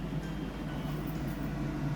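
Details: Kitchen hood fan after cleaning and refitting: steady, even low hum with no rattles, scraping or ticks; runs smoothly, no extra noise, fitted correctly.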